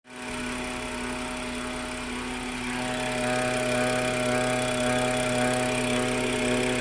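Engine runs steadily with a constant high tone riding over it that doesn't change, a whine of unknown origin.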